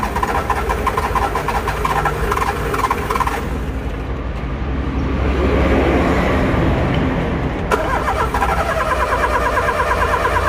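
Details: Car turned over with the key: repeated starter clicking at about three clicks a second, and the engine never fires or catches, so it does not start.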